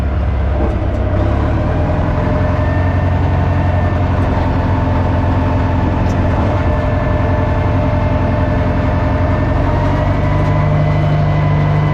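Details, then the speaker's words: Old Caterpillar 955L track loader, long unused, after topping up transmission and another reservoir, possibly the final drive: deep, steady diesel drone holding even as the machine moves off, no knocks or grinding; runs healthy. "now once I uh fill it up with a proper hydraulic oil things running really good"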